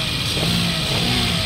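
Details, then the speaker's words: 2017 Toyota Wigo automatic, previously droning from transmission especially on cold start: after new filter and fresh ATF, engine runs steadily with no drone or whine; check engine light also cleared. "Wala yung Ugong OP nawala"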